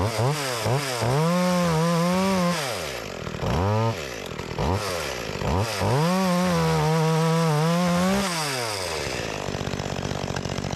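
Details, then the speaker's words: Makita EA3200S chainsaw, repaired after not starting following a year in storage, test cutting an old utility pole: two-stroke buzz climbs and holds through each cut, drops back cleanly between; pulls well under load. "that thing is pulling good I had no problem with"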